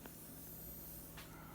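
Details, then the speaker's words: AudioBox USB 96 back from repair, condenser mic, 48V phantom power on: steady even white-noise hiss with faint low hum, which disappears when phantom is switched off; fault persists after repair. "hi guys I just got my box back from repair because whenever I hit the 48 volt button it makes a lot of noise like hissing white noise"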